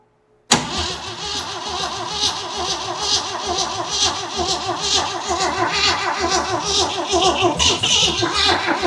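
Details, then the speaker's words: Jeep CJ7 with worn starter whose Bendix doesn't fully engage: steady cranking about one beat per second with no firing; cranks but will not start. "God, that sounds terrible. It's a fine unit. Let's keep trying."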